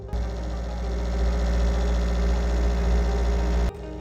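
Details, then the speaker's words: Dell all-in-one computer running Windows 10 with both internal cooling fans worn; loud, steady droning hum with a rough, buzzy grinding edge, worsening over time, fixed by replacing both fans and cleaning dust: failing cooling fan. "So, this Dell computer got dropped off today because the fans are making an awful noise and it's still at Windows 10 and we're going to see if we can upgrade it to Windows 11 and replace the fans."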